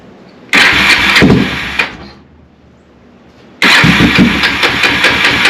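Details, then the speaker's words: 1987 Kawasaki Bayou 300 four-wheeler that would not start, with choke on and the failed neutral safety switch bypassed at the harness: it catches at once, fades, fires again and settles into a steady, lively idle. A normal start. "but needless to say if I clip that in there and we set our choke that's on well I thought it'd crank it did earlier"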